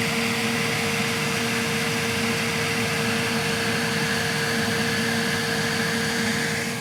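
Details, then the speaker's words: Elegoo Centauri Carbon 3D printer during setup, entering automatic leveling after vibration calibration, door open: loud steady rushing whoosh with constant hum, no rattle; cooling fan turned on to full speed, normal. "So, as you can hear [Laughter] that it turned on the fan to full. I don't know if it's testing the fan or why it turned on the fan to full, but there's a lot of air flow coming out."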